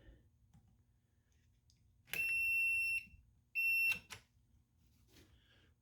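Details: Homebrew brewing control panel timer set to about five seconds counting down: two shrill, steady buzzer bursts of about a second each in a quiet room; timer alarm working normally.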